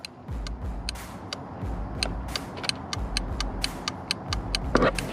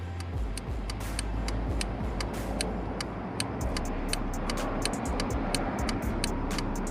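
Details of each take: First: Subaru WRX STI with Subispeed V2 Redline sequential LED headlights, aftermarket Dewhel adjustable flasher turned up: crisp, even ticks well over two per second over quiet engine hum, hyperflash-like fast turn signal rate. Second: Subaru WRX STI with Subispeed V2 Redline sequential LED headlights, aftermarket Dewhel adjustable flasher set back to regular rhythm: crisp, evenly spaced clicks at normal blinker pace over low engine hum; normal turn signal flasher rate.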